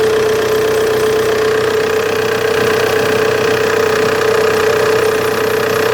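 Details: Opel Insignia idling: constant thin whine at one pitch; spraying water on the serpentine belt silences it for a few seconds, so owner suspects a bad serpentine belt.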